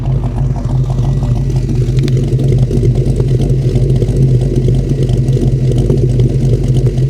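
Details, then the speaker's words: 1940 Chevy Coupe, bought sight-unseen at auction: deep even burble just under 1000 rpm, steady and rhythmic with no misses, ticks or knocks; normal idle. "gee sounds amazing wow"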